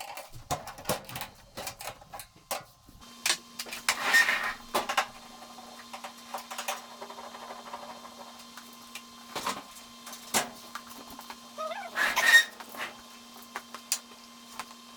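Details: Clothes dryer running: low steady motor hum under loud irregular knocking thumps and sharp squeaks as the drum turns; worn drum-support fault likely.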